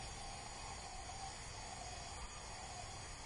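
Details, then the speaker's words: 2004 Mazda Tribute engine after overheat, no-start, leak-down test with mic at exhaust port: steady soft hiss changing when port blocked; air escaping past leaking exhaust valve, adjacent cylinder also leaking. "feel a little bit out of the exhaust valve you can actually hear the air change i put my microphone here when i put my fingers in you can hear as i block that exhaust valve"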